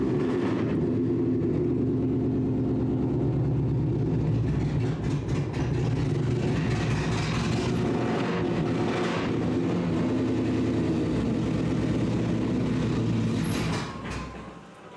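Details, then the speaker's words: Car, cold start: steady, loud idle pulsing about four times a second, slightly uneven and lumpy, then cut off; rough cold idle, owner says the cold tune still needs work. "I still need to work on the cold the cold tune but there it is it is working for the most part"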